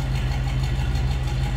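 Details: 1949 Cadillac Series 62 sedan, 331 V8, restarted after an earlier cold start: a deep, low, even burble at idle with a steady rhythm and no ticks or misfires. A normal idle.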